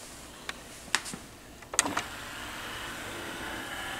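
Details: Sony PS-FL7II linear-tracking turntable: a few light clicks, then a soft, steady motor whir as the lid drives closed smoothly with nothing grinding or catching; normal lid operation (arm fault is separate).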